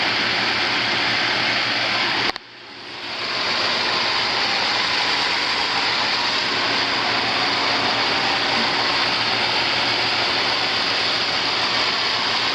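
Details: Home inspection of a swimming pool with a main and a second pump, both pumping. A steady rushing hiss of water flow over a constant motor hum, even and unbroken. Normal running; one pump's timer does not work.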